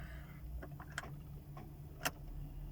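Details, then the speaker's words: Ford Focus with a flat battery below 12 V, key turned in neutral with the clutch pressed. Just a couple of dry clicks about a second apart in a quiet cabin, with no cranking: the starter won't engage. "ve gitti gördüğünüz gibi basmıyor bunun en az 12 ve 12'den yukarı olması lazım olmadığı için de arabamız marşa basmıyor arabamız çalışmıyor"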